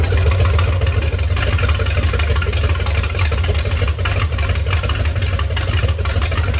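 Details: MerCruiser 7.4 marine V8, starboard side, after removing number one piston and freeing stuck rings, Marvel Mystery oil burning off; deep steady fast-idle rumble, even pulses, no misses; timing suspected slightly retarded, distributor found loose, running better.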